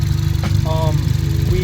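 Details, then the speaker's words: Car idling after repair of a vacuum leak from multiple disconnected hoses near the turbo and a reconnected throttle sensor: steady, even low idle with a regular beat and no stumble or hiss; running much better. "Okay, so as you can hear, the car is running a lot better now."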